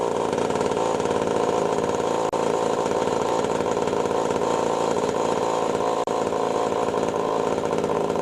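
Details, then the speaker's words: Pioneer 11-60 chainsaw running after years in storage, with ignition points readjusted and lightly sanded to restore spark. It holds a loud, steady high-revving buzz with only a couple of brief dips and runs strong. "seems to run for good actually I'm impressed I'm surprised that after all these years in storage which is running good"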